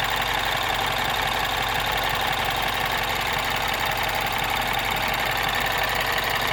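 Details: 2012 MINI Cooper S R56 N18 petrol engine at about 80,000 km, cold or warm idle: light even ticking about three per second. BMW said it was normal, not the timing chain; chain guides later broke at 120,000 km.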